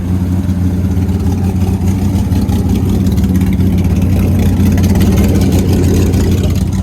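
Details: Nissan S15 running after finishing installs (oil cooler/relocator kit with gauge, exhaust not yet finished): steady throaty rumble with light throttle blips, no knocks or misses; runs fine, though a rear main oil leak and hard starting appear afterward.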